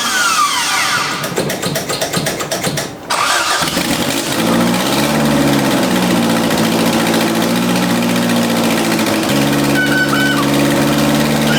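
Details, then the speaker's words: 1979 Toyota Corolla engine running after exhaust manifold removal destroyed the gasket; loud raspy idle with sharp ticking puff from the blown exhaust manifold gasket, engine also known to need a carburetor. "I removed the exhaust manifold and the gasket just totally destroyed itself so there's a bit of an exhaust leak"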